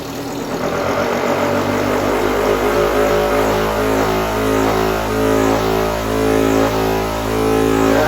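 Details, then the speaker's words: Homemade counter-rotating magnet disc rig ("Gravicooler", 20 kV) driven by two motors: a steady motor hum with a slow rise-and-fall swell, a beat frequency because the two motors are not turning at the same rpm. "right now you can hear what it's running that slow oscillation that's the beat frequency because the two motors are not turning at the same rpm"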